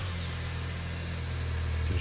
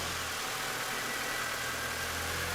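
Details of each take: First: 2001 MINI Cooper R50 petrol engine started with the 20 A fuel pump fuse removed to depressurise the fuel system: even low idle falters and cuts out after about two seconds, stalling from fuel starvation. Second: 2001 MINI Cooper R50 with a fuel pressure gauge on the fuel rail (spec 3 bar/43 psi) reading about 50; the engine idles steadily and evenly with no knocks or misses while the gauge valve is pressed to bleed air; normal idle.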